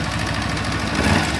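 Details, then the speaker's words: Kawasaki Ninja 250 FI on a cold morning start at idle: fast, light metallic "kletek" clatter keeping pace with the engine; cam chain tensioner rattle from a failing tensioner letting the cam chain go slack. "Oke Guys ya kali ini saya kedatangan motor Ninja 250 FI dengan keluhan yaitu kalau pagi Katanya bunyi ketekketek keteketek ataupun krecekkrecek krecek ya"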